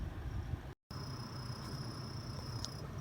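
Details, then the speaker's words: Volvo XC60/XC90 climate fan running: thin high cricket-like chirp that comes and goes over the steady fan rush, from a dry blower motor bearing; cheap fix accessed under the dash with recirculation off. "so for those who have this cricket sound in the ac of your volvo your xc60 xc90 e60 i don't know if you can hear the little cricket hear that cricket sound comes and goes"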